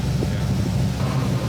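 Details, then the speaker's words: BMW E46 with LS V8 swap, idling after first startup: deep, even burble, no knocks or misses. It is running rich (only one bank's O2 sensors read) but within an acceptable range and sounds healthy. "I mean this is pretty rich for idle but it's it sounds good it smells better within the range of acceptability it sounds healthy"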